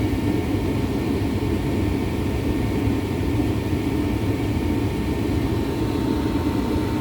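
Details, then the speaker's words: Gas furnace with an on/off heating fault, after the burner flame is established: the blower motor at the bottom starts with a steady, even rush of air over a low rumble and faint constant hum, no scraping or rattling; normal. "Alright. The flame is blowing. Now the blower motor will turn on, which is down here, the"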